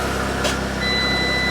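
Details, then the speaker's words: Over an idling engine just after starting, on a recovered stolen car with a new ignition fitted, one steady high warning tone sounds for under a second: airbag fault alert, as an airbag is missing and the airbag light is on. "airbag failure of course we got an airbag missing there we go"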